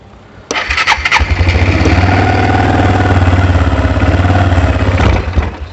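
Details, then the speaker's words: ATV with suspected bad gas, in neutral, on choke: cranks and catches, runs a rough uneven beat for about four seconds, then dies; won't keep running, likely fuel starved, carburetor needs cleaning. "bit so i think i am going to have to clean this carburetor"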